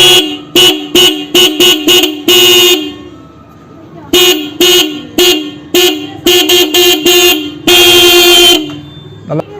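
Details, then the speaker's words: Company horn fitted with a ready-made horn relay wiring kit and extra horn line: loud, steady blasts, a run of short toots then longer holds, full heavy tone; the horns work normally. "நல்லா sound ஹெவியாக இருக்கும்."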